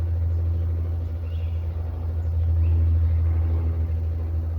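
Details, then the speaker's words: 240VAC central air conditioner condenser started by Powerjack 12000 AMG inverter in 120/240 split-phase mode, set to cool at 70 with room at 74: compressor kicks on with steady even hum, no alarm, drawing almost 40 A DC at 48 V; normal running. "There it goes. Just kicked on. It looks like it started it. Didn't even hear an alarm come on."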